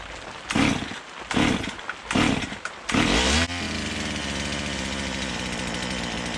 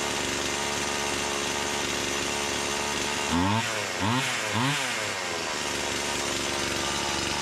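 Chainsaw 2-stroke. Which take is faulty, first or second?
first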